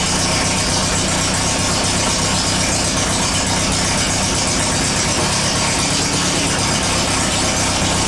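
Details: Air-cooled VW after transmission work: steady busy engine with gear whir and clatter; shifts through all four forward gears and reverse with no crunch or grind.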